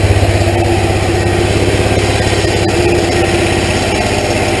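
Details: Hot rod golf cart small single-cylinder engine, first run after hand-pull start with starting fluid, choke on, temporary test: steady even idle with deep mellow muffler burble; normal idle with choke on.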